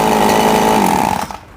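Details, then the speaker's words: RBC 411 four-stroke brush cutter after repair (broken clutch bowl, cracked bearing; clutch shoe replaced): engine runs with even high-pitched whine winding down cleanly, no rattle or grinding from blade or clutch; normal running. "โอเคนะครับติดเครื่องดูการทำงานของใบมีดกับชามคลัชนะครับ[ปรบมือ]ไม่มีเสียงดังเลยนะครับไม่มีนะครับ"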